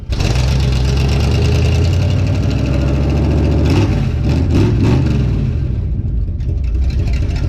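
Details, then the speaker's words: Healthy 52 Ford rat rod V8 catching on first start outside after fuel pump hookup and fuel in the carb, loud raw open-header sound with no stacks fitted, even idle and clean blips up and down, no knocks or misfires. "sounds really good well that's impressive thing sounds great"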